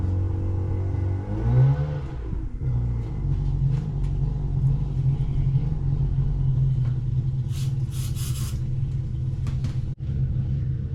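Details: 1999 Harley-Davidson Fat Boy, gas tanks cleaned and reinstalled, started on a jump box: big twin cranks, catches and settles into a deep, lumpy but steady idle with no knocks or misses; runs fine.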